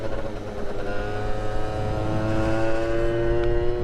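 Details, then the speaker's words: Suzuki Street Magic moped with a swapped-in Gilera Runner 125cc two-stroke, after heavier variator roller weights were fitted. A buzzy scream holds near the top while over-revving, possibly hitting a limiter, with no extra speed. The owner suspects very short gearing. "Still over revving. Listen to it. It's like it's got a limiter as well. Or is that an over rev? I think that's an over rev. Still no extra speed, which probably means the gearing is ridiculously short."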